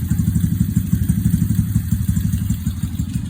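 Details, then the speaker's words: Mini Jeep aircraft tug, 1.5 years in service, just started for the first time that day at about 65 °F, overcast, no choke: steady, even low thrum about three beats a second, no knocks or misses; normal idle. "So this thing just cranks up, no choke. It's about 65 degrees outside today, overcast. So there it is, just the running."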